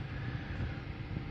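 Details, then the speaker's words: 2005 Chevy Silverado 1500 2WD after rear main seal, knock sensor and transmission work, crank-no-start fixed by repairing bare touching CMP sensor wires; low, even idle with no misses, stumbles or surging, running normally. "not it runs good hope this helps"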